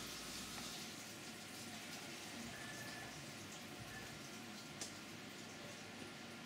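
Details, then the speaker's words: CNC reaming the bore of an AR15 high-rail gas block at slightly lower RPM and a faster 7 in/min feed, up from 4 in/min: steady, even hiss with coolant splash and no chatter or squeal; a smooth cut leaving a nicer finish. "So I'm running the reamer here a little bit slower RPM, but a faster feed rate."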